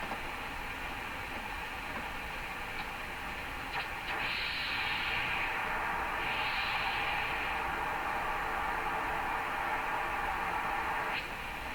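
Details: Hammarlund SP-600 shortwave receiver on a makeshift garage-floor wire antenna, tuned down from 25 MHz through 17 MHz: only a flat, steady hiss with no signal, reception weakening toward the higher bands; cause is a disconnected capacitor lead.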